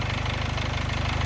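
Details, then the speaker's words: 2011 Chevy Malibu 2.4L Ecotec idling after cam phaser work and valve cover gasket replacement; fast, even rattle underneath that never settles, timing chain definitely loose, owner pretty sure the hydraulic tensioner is at fault; loose timing chain rattle. "Just don't pay attention to that cam chain noise. Uh or the timing chain is definitely loose. And I'm I'm pretty sure that it's that hydraulic uh tensioner that's in there."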